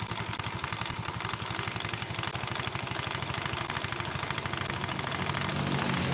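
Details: Scooter with an oil leak, probably from a leaking crankcase seal: uneven, loose clattering rattle over the idle, not tied to firing; caused by a worn, sloppy roller housing bushing in the CVT.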